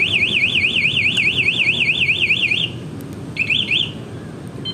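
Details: Honda Vario 125 LED 2017 scooter with a newly installed MP one-way alarm: a loud warbling siren sweeps up and down about twice a second, stops, then briefly restarts as the armed alarm trips from movement.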